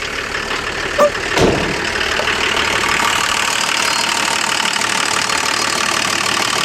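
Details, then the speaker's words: Volvo diesel run for months on filtered waste motor oil, open intake: even steady idle with strong intake air hiss, no knocks or misses; runs smooth and healthy. "as much as it's ready for the bone yarn it runs like brand new"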